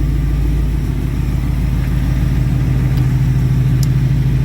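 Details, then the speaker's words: 1968 Ford F100 V8 running again after sitting 5 years, with an electric fuel pump and a mangled exhaust to be fixed in spring. Deep, even idle burble with a steady low rumble and no knocks or misses; the engine idles smoothly. "So it does sound pretty good for the kind of mangled up exhaust system that I have currently right now, but I do plan on getting that fixed up in the spring. You know, hopefully you guys can hear that. It does sound pretty good."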